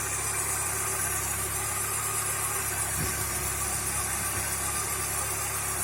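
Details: VW Passat B3 petrol engine idling: steady high belt whistle and rough rumbling whir from the front; new V-belt didn't help; worn alternator and crankshaft pulleys, damaged crankshaft gear, suspected alternator and water pump bearing noise.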